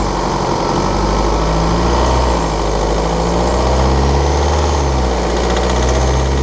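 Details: 2013 BMW 520d F10/F11 N47 diesel, cold and under load at 1500 rpm: steady low-rev rumble with a light, fast ticking rattle on top; faulty injector, pinpointed with ISTA test.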